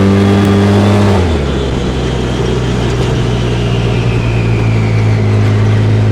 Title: RZR wooshing/grinding sound on decel